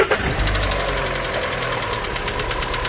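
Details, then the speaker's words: 2015 Volkswagen Fox cold morning start: fast hollow ticking knock over idle right after starting, cold-phase engine noise; piston slap from worn pistons. "é um fox 2015 tá com barulho de manhã na partida na partida de manhã escuta aí essa esse barulho aí vai lá"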